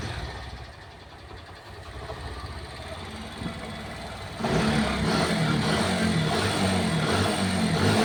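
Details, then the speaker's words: Mahindra Centuro motorcycle running in gear after the bent drive chain was straightened and refitted; low steady engine hum with no rhythmic kat-kat clatter from the chain, drive now quiet. "तो भाई कोई आवाज नहीं है कटपट की बिल्कुल okay report"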